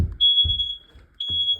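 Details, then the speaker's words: Hallway smoke alarm during an August 2 test: two long piercing high beeps about a second apart over room knocks, still activated; smoke alarm sounding. "I thought that was the kitchen detector. But no, I guess it was wrong. Because it was the hallway detector that still was activated."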